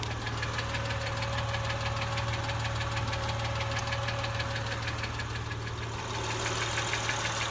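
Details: Acura TL engine at idle: quick even light ticking, roughly three per second, riding over a steady idle; a top-end tick, cause not pinned down.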